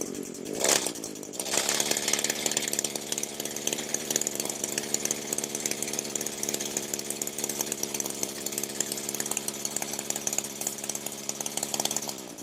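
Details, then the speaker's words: Echo SRM 225 two-stroke string trimmer that wouldn't start, tested for crank seal or exhaust gasket air leaks: high, steady buzzing speed with no appreciable RPM drop or hunting; runs normally, no air leak found. "Okay, if you can hear me, the sound I'm looking for is any sort of appreciable decrease in the RPMs, and I have not heard that."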